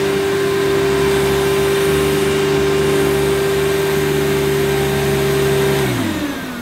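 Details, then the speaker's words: Hoover Futura S3563 canister vacuum, US import: steady even motor drone with clean high tone, then smooth wind-down at switch-off; power nozzle runs fine, headlamp dead, belt possibly due for replacement. "well yes as predicted the headlamp doesn't work but I was such a shame because it seems to work fine"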